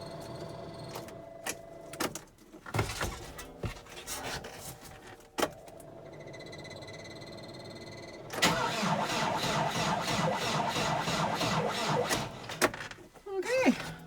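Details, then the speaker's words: Old tractor at about minus 18°C, not plugged in, preheater on: labored, uneven cranking for about four seconds that never fires. It cranks slowly with no start, and the owner avoids running down the battery. "That really doesn't sound like I'm going to be doing much today, does it? Gosh. Let it preheat a minute more. Definitely not going to run the battery down trying to start this."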